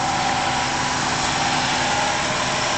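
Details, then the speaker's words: 1994 Buick Roadmaster LT1 idling, A/C switched on, replacement compressor: rough gravelly growl with constant hum; mechanic's stethoscope says compressor itself, not main bearing; cooling works, suction 30, high side 150. "Works fine, it's just a little bit noisy. We call that a growl. The mechanic put a stethoscope on it, said it's not the main bearing, it's the compressor itself."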